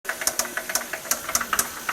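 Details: Toyota 1JZ-GE engine: sharp metallic knocks about six a second hammer hard over a quiet idle; VVT-i was first suspected, but it turned out to be a spun bearing shell (rod knock).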